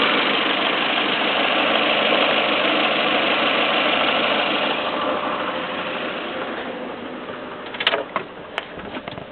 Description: Bruit bizarre sur 307 1.6 16v essence (claquement)